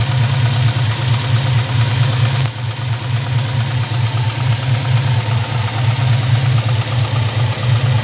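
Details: LT1 V8 at idle: faint quick light tick over the low rumble, suspected lifter tick; owner reports the tick went away after changing from 5W-30 to 10W-30 oil plus Lucas additive.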